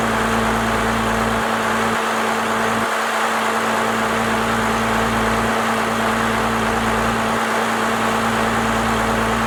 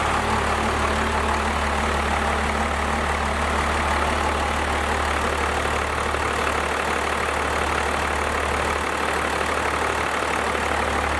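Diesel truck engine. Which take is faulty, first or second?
second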